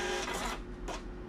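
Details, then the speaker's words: Birch receipt printer printing Windows test page; short bursts of brisk smooth regular whirring paper feed, no grinding; printing normally, though paper-out error no longer detected. "okay so as you can see it's printing well now windows printer test page"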